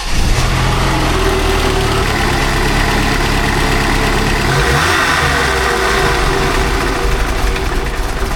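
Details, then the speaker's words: Replacement used 2.5L four-cylinder in a Jeep Wrangler YJ, first run after engine swap, warming up for thermostat to open, likely old coolant burning off the intake: a steady, even idle with a brief blip, no knocks or ticks; normal idle. "Warm up a little bit, let that thermostat open up."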